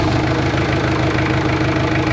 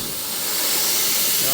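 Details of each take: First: Jeep Cherokee XJ 2.5 turbodiesel after installing a rebuilt GT2052 turbo, after about 15 minutes of running: steady idle with even clatter and a faint constant tone, no misses or knocks; oil drain working, engine healthy. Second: Jeep Cherokee XJ 2.5TD with rebuilt GT2052 turbo, pressure test of intake while engine off: wastegate moving, holds pressure fairly well but steady sharp hiss of escaping air. Boost leak.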